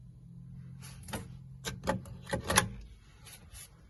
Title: Arctic Freezer VRM fan makes strange noise, and always work at 100%